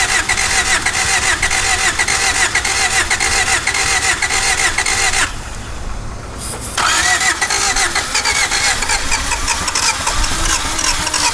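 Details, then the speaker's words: 1991 Honda CRX Si barn find, sat over 10 years with a seized engine now freed, first run on fresh fuel: rough, lumpy, stumbling running on two cylinders. Both plugs show spark at the cap, so two stuck fuel injectors are suspected. "running by itself. Not very good. It's running on two cylinders. That's kind of cheats, but um it's possible we have two stuck injectors because this spark plug has fire and so does this one."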